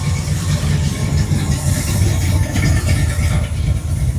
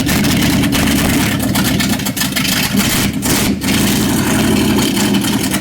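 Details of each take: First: Old truck rolling past at a Mendenhall, MS cruise-in: a deep, even, low rumble with no knocks or misses over crowd noise. The engine is running normally. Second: 1955 Chevrolet truck V8: loud, uneven lumpy stumbling beat with surging revs; timing being adjusted, distributor hold-down binding, carburetor suspected of trash from years-old bad gas.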